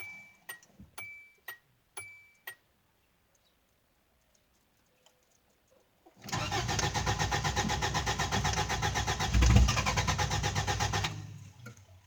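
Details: Subaru EA82 engine won't start: a few sharp clicks, then about five seconds of steady rhythmic cranking that never catches and dies away; crank, no start.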